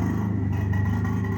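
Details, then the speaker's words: Onboard generator on a 2009 Workhorse W62 Snap-On truck, running instead of shore power to feed the plugs; smooth even drone with a steady low pulse, no surging or rattles; normal generator running. "hear it right out here. And that now powers those plugs off the generator."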